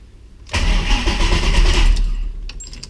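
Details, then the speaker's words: 2006 Mustang with Coyote swap and reinstalled T56, first crank with fuel pump relay pulled, clutch in, neutral: short, steady, even cranking that turns over freely with no binding or clunks, stops without firing; normal cranking. "it's definitely spinning so that's good"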